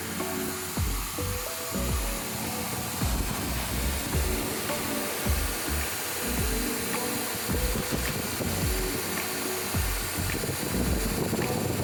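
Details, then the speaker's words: 1978 Lincoln Town Car Ford 460 V8 with a Cloyes 3079x straight-up timing chain, about 244 miles on it, warm right after a 54-mile trip at 65–70 mph: a steady, even idle with a smooth low rumble and no ticking or knocking. "Sounds really good. Steering gear. Oh wow, that's great. Sounds good."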